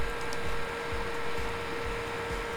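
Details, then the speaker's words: Spare thick fan tested as a replacement in a T-8280 preheating plate: steady whir with a constant hum near 450 Hz and a low buzzing rattle. Vibration transmits to the metal frame, still present though quieter at 6 volts. "you can basically hear the same vibration I was hearing with the other one. Now, even if I lower this to say, I don't know, 6 volts, it gets much more quiet, but it's still the vibration is basically transmitting to the metal frame."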